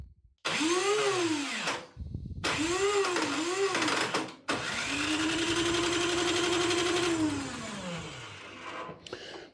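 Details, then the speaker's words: Craftsman snowblower after carburetor cleaning and fresh gas, choke on and primed: three short whirring electric-starter bursts, but the engine never catches. Starter not loose; owner suspects it is not engaging fully. Unconfirmed. "okay so electric start needs a little attention it's not loose so we're going to have to look at that probably not engaging all the way"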